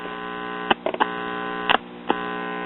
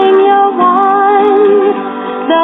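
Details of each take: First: One-tube Bel-Aire/Airline three-speed record player, about 1953-54: buzzy hum cuts in and out abruptly as the intermittent tube socket loses contact; works only when the 25L6 output tube, itself shorting, is held in position; volume pot also bad. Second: 1954 Bel-Aire record player after amplifier repairs, resistor replacement and a reinstalled pot: music plays steady and full with no cutouts or crackle; normal record playback.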